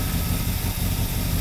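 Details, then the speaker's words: 1969 Lincoln 460 V8 running again after bad-gas problems: deep, steady idle with a faint uneven beat, slightly rough; owner plans to fine-tune the carburetor to run leaner, cause not confirmed. "sounds like it's run get this smidge rough but it'll be some fine tuning we'll get her all taken care of"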